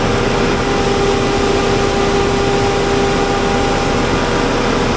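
Steady, even drone with a constant mid-pitched tone and no knocking, wobble or belt squeal; the generator is running smoothly.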